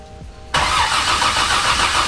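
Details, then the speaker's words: Barra-swapped Mustang GT350 first start with jumper: steady fast starter churning, engine spins but never catches; crank no start, dropping out, suspected ECU setting or bad sensor, unconfirmed. "Stop. No, no difference. No, yeah, it's dropping out. I'm not sure if it's actually an ECU setting or if it's like just a bad sensor maybe."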